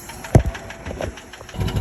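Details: 1936 Daimler Light 15 just started: uneven engine catching, then sharp light ticks over low idle beat; unexplained ticking, cause not pinned down.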